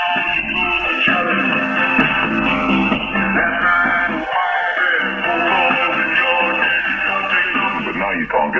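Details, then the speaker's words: Vintage RCA Victor CP-1 cassette player-recorder, unused for nearly 50 years, plays tape cleanly and fully; no hum, crackle or breakup, and the sound is now very clear. "but he's now working Sandi's now very clear and I can finish off the repair and send it back to the owner"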